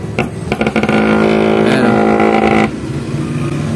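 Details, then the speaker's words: Electric massager after rattling-noise repair: steady, even low motor hum with no loose rattle, quieter than the other unit; running smoothly. "Mas tahimik to kaysa doun sa isa."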